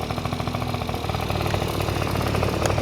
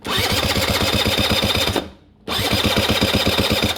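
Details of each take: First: Honda Dio two-stroke scooter after cleaning oil flooding from a leaking oil pump and fitting a DIY gravity-feed fuel tank in place of the failed fuel pump: fast, even popping idle, steady beat, no misses or rattle; healthy. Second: Honda Dio scooter after cleaning oil flooding from a leaking oil pump and fitting a temporary gravity-fed tank for a failed fuel pump: quick, even starter churning about four turns a second, stopping and restarting, with no firing. It cranks but won't start.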